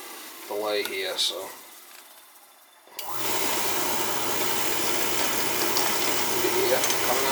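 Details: Oil furnace at annual service, thermostat jumped out, run to bleed air from the oil pump: after a click and delay the burner lights into a steady even roar with low hum, no sputter or pulsing; normal burner operation.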